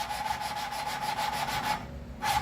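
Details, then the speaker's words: 1939 Ford 9N tractor engine during assembly, intake valve being lapped into its seat with lapping compound and a spinning lapper tool: rapid gritty back-and-forth rasp that quietens and drops out as the valve seats, then resumes; good seat achieved. "The sound kind of changes as you get it there. Gets quiet like that."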